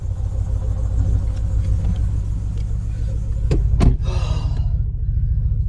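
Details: Ford Focus ST 5-cylinder, after new MAF sensor fitted and induction kit refitted: deep idle rumble with uneven, lumpy beat about three per second, a cylinder dropping out irregularly; still misfiring at idle, cause unknown.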